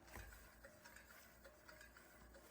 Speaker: so that means our rotor is rubbing the pad somewhere and I'm going to show you how to fix that